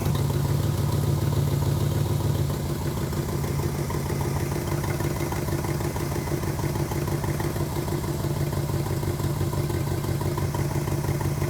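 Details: 350 small-block Chevy in a 1964 Impala after top-end and oil pan reseal, timing set at 34° total, idle mixture leaned, choke adjusted: steady even low burble at 700 rpm idle, no knocks or misses; healthy.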